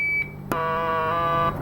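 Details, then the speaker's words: 1964 IME 84 transistorized desk calculator, germanium transistor on one of four identical logic cards checked with an audio test tone: after a short beep, a buzzy, reedy, overtone-rich tone marks the faulty transistor. "let's do our good old testaphone bloop d blue again i start with a bad transistor"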